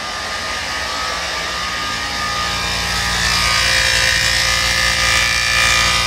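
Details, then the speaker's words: 2013 Mercedes GL550 (X166) AIRMATIC compressor, front right, with buzzing usually at cold start; valve block already replaced and fuse re-inserted: loud, harsh, steady raspy buzz that swells slightly; compressor is failing and still the problem. "okay yep so it's the compressor so that uh valve block might have helped but it's not the actual problem"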